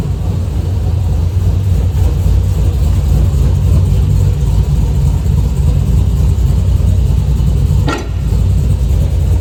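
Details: V8 with long-tube headers and the header ticking fixed, driving: deep, even exhaust rumble with no ticking or puffing; normal exhaust sound.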